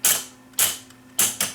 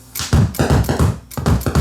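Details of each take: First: Viking SC5894 AM/FM stereo receiver with 8-track cartridge recorder: track-change solenoid actuated by shorting contacts with a screwdriver while capstan spins; four sharp, fast-decaying snapping clicks as the solenoid pulls in and flips the head to the next track. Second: Viking SC5894 8-track recorder stereo: record/play switch sprayed with cleaner and worked back and forth; dull heavy thumps burst through the speakers with each actuation as switch transients reach the amplifier, visibly moving paper beside the speakers.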